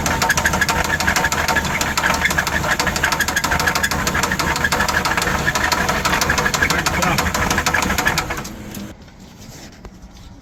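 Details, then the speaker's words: Motorhome engine after three sensors changed with no improvement, still running poorly: steady ticking knock about three a second over busy idle, then engine shuts down; owner suspects a motor knock, possibly blowing water, unconfirmed. "o keep going in this it almost sounds like it might be a knock in the motor so uh we might be done for good I don't know"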